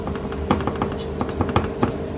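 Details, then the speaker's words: Flywheel (ring gear) for a Jeep Grand Cherokee 2.7 rocked on a flat table: irregular light clacks, about a dozen in two seconds, show it isn't flat, with slight play in one spot; the skew may cause engine vibration. "И важно, чтобы этот перекос не был максимально критичным, так как, возможно, это будет вызывать у нас вибрацию мотора. Так, есть в одном месте небольшой люфт."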